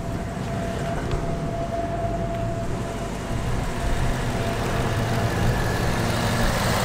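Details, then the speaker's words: 2018–2019 Mustang GT Coyote V8 that had a tick between 1k and 3k rpm, first start after adding Ceratec: low, steady idle with an even burble and no ticking, quieter than before. "Here the car is idling very, very well actually. I almost want to say it's quieter than when I had it previously."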